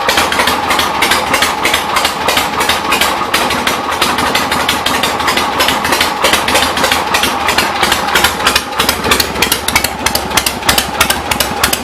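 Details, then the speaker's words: 1975 Harley-Davidson XLH Ironhead Sportster V-twin, not quite warmed up, good compression, after transmission trapdoor/clutch repairs: loping, slightly uneven lumpy idle at about three beats a second, still a little smoky; rich idle mixture, carb needs adjusting and accelerator pump needs setting. "pretty good running bike um need to adjust the carb on a little bit still a little smoky"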